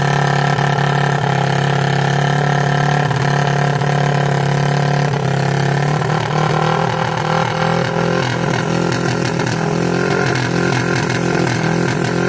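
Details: 1986 Yamaha YFM Moto-4 200 single-cylinder ATV after carb work, warm: drone climbs and hangs at raised speed rather than returning to idle; tight throttle cable noted, owner suspects sticking needle valve.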